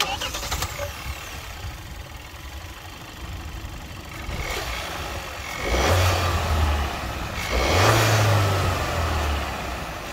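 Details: 2023 Kia XCeed GT-Line, 1.5 T-GDI turbo petrol four-cylinder, 160 hp, 7DCT: engine catches and settles into a smooth low idle, then two clean rev blips rise and fall evenly; normal start and idle.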